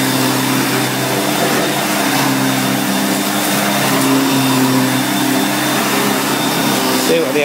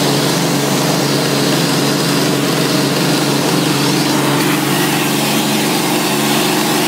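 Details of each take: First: 1990 Electrolux 616 Electronic (Z616AE) vacuum cleaner, bought used and cleaned, running during edge-cleaning test: loud, even motor hum at one steady pitch, no surging, rattle or scraping; motor runs really good. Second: 1990 Electrolux 616 Electronic (Z616AE) vacuum cleaner, motor otherwise runs well: loud steady motor roar with a constant rough, buzzy growl underneath; brush roll bearings growly, rattling and vibrating in the background while using the tools.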